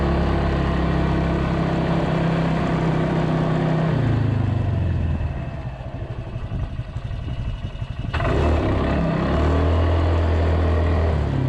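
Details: Polaris 300 Sportsman quad after drive belt replacement, rear bushing and new coil: revs up, settles, picks up again with smooth even pull, no slipping or rattles, rain behind; healthy, though still slightly slow taking off unless given full throttle.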